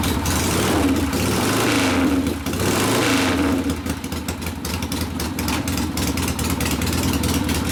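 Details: 1972 Harley Sportster XLCH Ironhead after case repair and engine rebuild (came in with a kick starter that would not turn over the motor): fires, revs a few times, settles into lumpy but even idle, no knocks; normal running.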